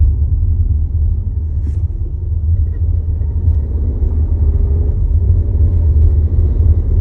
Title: 2022 Tiguan SE R-Line vibration noise when start stop activated